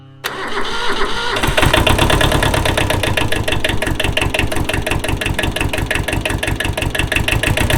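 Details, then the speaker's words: Kubota L185 diesel tractor, after its starter was pulled, cleaned and refitted (it cranked only intermittently; starter solenoid suspected): glow plugs heated, brief starter whirr, then the engine catches at once and settles to an even idle clatter. Normal diesel start. "Oh, let's not forget our battery cable. It definitely won't start without that. Let's hit the glow plugs here for a second."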